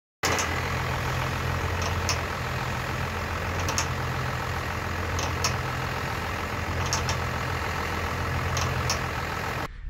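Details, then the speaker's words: Crew cab pickup stationary at idle with the wheel turned left and right, recorded from underneath: a sharp pop about every 1.5 s. Suspected worn spring eye bushing at the front eye of the driver-side front leaf spring, which appears to shift with each pop. "now in that video it's pretty evident that the spring eye bushing and the front eye of the leaf spring is shifting every time you hear that popping noise so my guess is that bushing is worn out"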